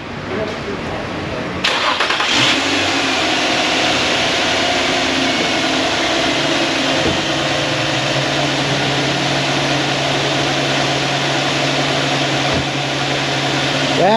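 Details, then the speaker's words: Infiniti (Nissan) after alternator and belt replacement, first start before relearn procedure: brief crank, catches at once and settles into smooth steady idle, no misses or odd noises; normal start and idle. "is music to my ears all right maybe it's going to be a good day after all"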